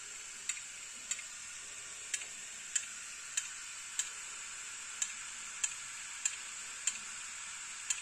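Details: Hard disk drive opened to investigate the ticking inside: sharp, regular ticks about every 0.6 seconds over a high, steady hiss; hard disk drive clicking, data possibly recoverable.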